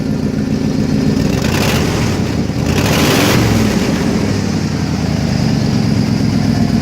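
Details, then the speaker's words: 1990 Ford F250 V8, sat about three years, fired right up after a new fuel pump and a tightened leaking fuel-rail Schrader valve: deep rumble picks up cleanly on throttle and settles back smoothly, no stumble; decent throttle response, normal revving. "got decent throttle response."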